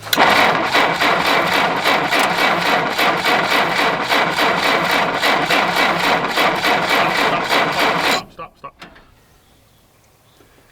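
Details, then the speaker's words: 1960 Jeep CJ, first start in years with a fuel line hooked to the fuel pump and a fresh battery: steady, even cranking about four turns a second for eight seconds, never catches; no spark, points suspected dirty. "no there's nobody home there the Swit on if there's a switch that says on maybe flip it to on yeah no there's nothing there there's no spark okay no I'm probably dirty points"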